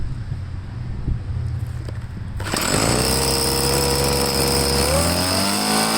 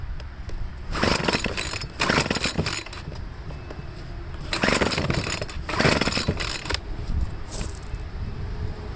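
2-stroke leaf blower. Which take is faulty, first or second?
second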